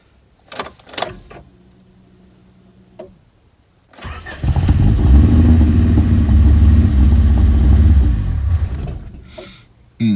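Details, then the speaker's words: 1991 Rover 416 GTi non-runner with history of intermittent cutting out: cranking clicks, fires, runs about five seconds at low even beat and dies; fuel pump heard running, owner suspects ignition or distributor. "okay so it literally starts and cuts out and when you can when it does actually run you can use the throttle to try and rough it up but just misfires and cuts out"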